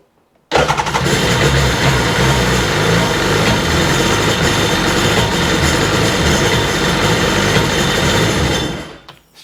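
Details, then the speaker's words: RXDI engine after fitting a new fuel rail, primed several times; the old injector and regulator were packed with rust, suspected as the cause. Running: loud, rough, uneven stumbling beat instead of a clean note. Engine misfire, cause not confirmed. "got a bit of a misfire to [Music] it."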